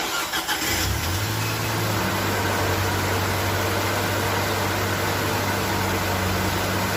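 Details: Nissan Navarra diesel being repaired for misfire code P0304 (cylinder 4) cranks briefly, fires and settles into a smooth, steady idle with no stumble or missing beat; sounds like it is running right.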